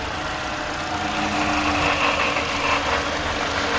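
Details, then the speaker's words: 2015–2017 Toyota Corolla engine running, noise traced with a hose to the water pump, before replacement; thin constant whirring hiss over the engine with little low rumble; worn water pump bearing noise. "The sound's coming from the water pump. We bring new one, we're gonna change it. That's making noise."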